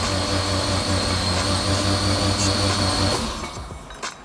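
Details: Mazdaspeed 3 being prepared for winter storage, spark plugs removed, clutch in and throttle floored, cranked in about 5-second intervals to prime oil pressure; even, fast starter whir without firing pulses for about three seconds, cranking freely. Normal cranking with plugs out.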